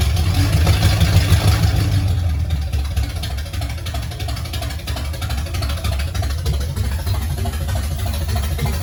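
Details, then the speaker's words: 1969 Pontiac GTO barn find, Pontiac 400 V8 with TH400 and Quick Fuel 750cfm carb, first start after 17 years: deep V8 rumble settling from a light rev into a fairly even idle, no obvious knock; runs pretty well. "y'all heard it it runs it actually sounds like it runs pretty good"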